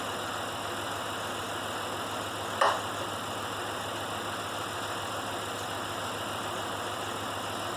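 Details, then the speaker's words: Pontiac Grand Prix with dead misfire, still shaking after swapping coils: steady idle with lumpy uneven beat and one sharp pop; diagnosed as failed ignition module rather than coil. "so we're still shaking oil's still dead so what that tells me is instead of a coil being out we've got an ignition module out"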